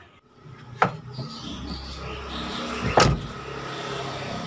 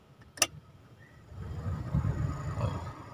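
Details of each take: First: Toyota Avanza rear double AC blower, before repair: rough snoring roar with thin whine and scattered clicks, worse at higher fan speed; blower fan fixed without dismantling the unit. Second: Toyota Avanza double blower that was snoring, after a glue repair: soft, even low whoosh with no rattle, scrape or wobble; the fan wheel now spins quietly, normal blower operation.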